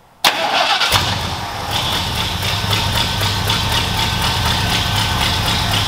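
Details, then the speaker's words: New F150 build, first start; engine catches and settles into an uneven, stumbling, lumpy idle with one cylinder dead: misfire from a missing spark plug wire. "hey hold on hold on hold on kill it you got a spark plug wire missing"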